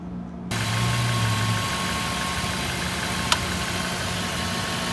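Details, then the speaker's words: Jaguar with 347,000 miles and a check engine light, auction listing clip: a steady, even idle with a smooth low hum and no knocks, ticks or misses. It sounds decent. "this sounds pretty decent i don't know man we'll see we'll see that one i'm going to add to the watch list"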